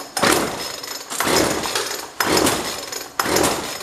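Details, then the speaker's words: Jonsord 2036 Turbo chainsaw takes four slow recoil pulls, each a rasping whirr with no pops or firing. It turns over but won't start; owner thinks it may have been unchoked. "I don't even hear it trying to start we might have a problem"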